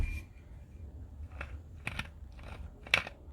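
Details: Ford Fiesta wheel bearing spun by hand: uneven gritty crunches and rough catches instead of smooth glide, a worn wheel bearing, compared against the good side before replacement.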